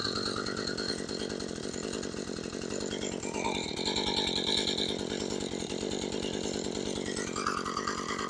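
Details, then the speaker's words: Husqvarna 435 chainsaw with a properly set idle speed: a buzzy two-stroke idle with a light rattle as the chain keeps spinning. The clutch is likely grabbing. "Hey guys, have you recently adjusted the idle on your chainsaw and it's still spinning like this?"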